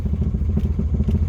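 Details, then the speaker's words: 1978 Pontiac Sunbird Formula, parked about 10 years, first start: loud lumpy low idle with uneven thuds about twice a second; knocking is from the exhaust, not the bottom end; charging under 13 V; exhaust knock at idle. "the knocking is just the exhaust just clock that's not working maybe we'll take that apart someday"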